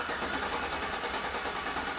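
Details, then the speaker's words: Healthy starter cranking, measured with a clamp ammeter on the starter cable: steady, even whirring at constant pace, no grinding, clicking or slowing; draw peaks about 200 A then settles to 100–150 A, judged perfect. "All right, so it hit about 200 amps and then it come back to about 100, 150. Absolutely perfect."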